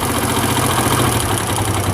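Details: Chinese CD70-type motorcycle: busy single-cylinder idle with a light, intermittent rattling tick from the head near the cam, heard over clutch noise while revving lightly; worn cam sprocket or timing gear.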